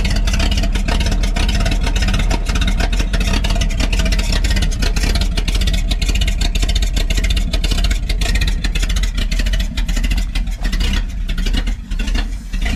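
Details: 1952 Packard 327 straight-8 after removing the exhaust down tube and plugging a vacuum leak; loud open-exhaust rumble at a steady fast idle, firing evenly with no misses or knocks, running smoother than before: normal running.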